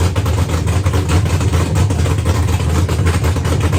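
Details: Engine running after rewriting the whole ECM program to fully remove the VATS anti-theft system: deep, steady rumble with an even beat, no misses, knocks or surging; smooth, healthy idle.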